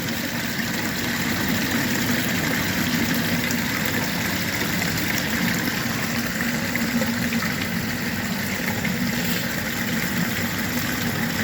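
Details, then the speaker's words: Submersible sump pump in a floodplain crawl space, switch no longer engaging: it runs continuously at what is believed to be about 3,800 gal/h into a 2-inch pipe with a check valve. Steady, unbroken hum over rushing water, no cycling, rattle or grinding. "So the switch isn't engaging any longer. It's just running continuously."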